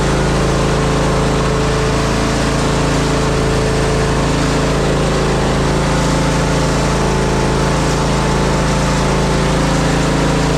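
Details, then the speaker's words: Zero-turn mower, previously a non-runner, engine at full throttle: steady running with a fine metallic buzz; owner suspects the heat deflector shield on the back rattling. "Got a bit of a weird rattler though on that little shield on the back. Noisy things. Heat deflector shield, I guess."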